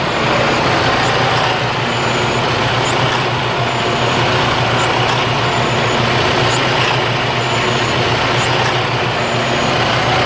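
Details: 2009 Freightliner Cascadia, Detroit DD15 diesel, about 800,000 miles, idling: steady but lumpy, uneven chug with periodic faint ticks; rough idle since purchase, shop called it normal, cause not identified.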